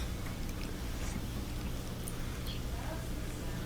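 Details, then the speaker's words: Old Maytag dryer test run after drive belt replacement: steady low rumble with soft, even tumbling, no squeal or thump; drum turning smoothly. "last time that's the sound we like yep yeah back spinning good very good"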